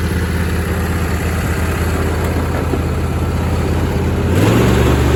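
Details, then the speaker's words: John Deere D160 mower, not run in 2 years, after new plugs, air and fuel filters, battery and carburetor cleaning: steady, even engine beat, no knocks or misses, picking up smoothly; runs great, PTO engages, drive belt shredded. "clean the carburetor now it starts and runs great the mowers they engage it works really well"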